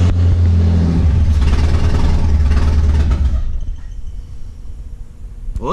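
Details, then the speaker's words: Jeep XJ first started after sitting 2 years, leaking coolant (suspected thermostat gasket): it rises to about 2–3,000 rpm, holds a few seconds, drops, runs rough, then dies. It starts then stalls, cause unknown. "look good but it's it's dying out for some reason"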